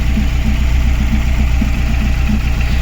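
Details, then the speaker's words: Chevrolet Aveo 1.5 8-valve Opel engine, rebuilt two years earlier, mileage unknown: idle chugs and stumbles with one cylinder dropping out and no check-engine light; misfire from head gasket blown into cylinder four, plugs 3 and 4 wet. "Блін, двигун троїть, а чек не горить. Оце прикольно, конечно. Добре чуєте, як йому погано."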